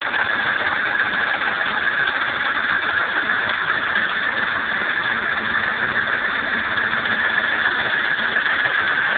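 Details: BMW M30B35 engine at cold start: a constant dry metallic chatter over the idle, suspected from the timing chain judging by where the noise comes from. The noise disappears once the engine is hot.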